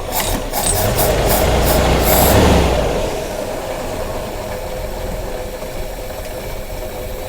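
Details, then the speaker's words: 1987 Jeep YJ 4.2L AMC inline-six, carbureted, sat 7+ years: revved, it settles at raised uneven speed and never returns to idle; accelerator pump inoperative, owner thinks it runs rich, possibly wrong carburetor. "See, the problem is without the accelerator pump, it doesn't overcompensate with fuel when you pump the gas. So if you come back off of a throttle input, it'll stall. So like if I rev it up,"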